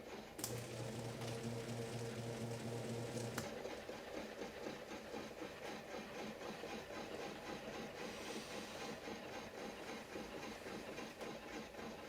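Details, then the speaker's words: 1971 Hunter 22046 ceiling fan motor, ex-Disney Tiki Room, still crusty and mid-restoration, run on test wiring after the red wire proved direct to the motor. A low, quiet, steady whir with a faint even patter, no scraping or knocking; runs smoothly. "oh though it does sound pretty good listen to that"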